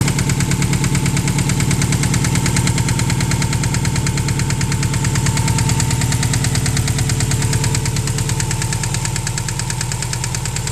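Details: 2003 Subaru WRX EJ20G engine idling with a steady, hard knock in time with the engine over its low rumble: rod knock from a spun bearing.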